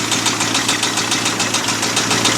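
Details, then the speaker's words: Abandoned 1989 Ford F250 5.8L V8 started on a new battery after fuel injector wire repair, never revved: a sharp, regular ticking knock about six per second standing out over the idle; an unhealthy knock of unknown cause. "But that knock definitely doesn't sound healthy at all."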